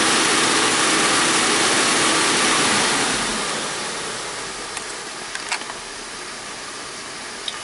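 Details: 2001 Audi A4 Quattro 2.8 L V6 after replacing a blown flexpipe and adding an O2 sensor spacer: strong rev drops back to a smooth, even idle with no puffing or ticking; exhaust sounds sealed and healthy.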